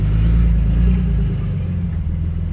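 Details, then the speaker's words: 1995 Japanese Toyota Supra on its first gentle drive after oil pump, front main seal, water pump, cam seal, cam gear and oil cooler work: a heavy low rumble with an uneven, rough undertone under light acceleration; abnormal noise of unknown cause. "oh that doesn't sound good at all i really don't know what that is"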